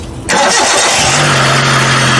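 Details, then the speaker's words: Hyundai car after rechecking and fixing the ignition coils (earlier misfire persisted after a spark plug change): starts quickly on the first crank and settles into a smooth, even idle with no stumble or miss; misfire resolved, normal start and idle. "Power's perfectly fine, no miss anymore, she's all good. So we do not have any problems with the misfires anymore."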